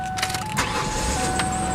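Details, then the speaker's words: 2001 Ford Taurus after starter replacement: a short crank, then the engine catches cleanly and settles into a steady run with a thin whine over it. Starter was the fault, and the starter now works. "yep there we go starter the whole [Music] time"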